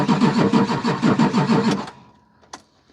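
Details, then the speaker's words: Vehicle cranked with an Autogen 4500A portable jump starter in boost mode, clamped to the battery cable with no batteries connected. Steady cranking about three turns a second for nearly two seconds never catches; the owner suspects the unprimed fuel pump/filter prevented the start. "I think that's pretty impressive to not even have batteries hooked up I'm actually very impressed and if I would have primed the fuel pump or the filter out in here it possibly would have started right there"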